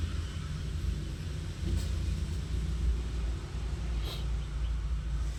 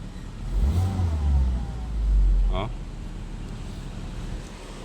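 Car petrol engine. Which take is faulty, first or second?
first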